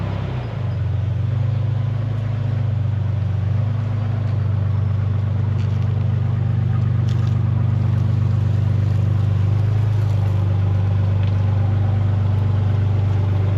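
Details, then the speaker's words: 2002 Nissan Xterra 4x4 back on the road after a stalling problem and months parked; steady, even low engine drone while driving, no knocks, misses or squeals, coolant temperature holding normal; running good. "Truck's driving and running good. Coolant temp is holding where it should."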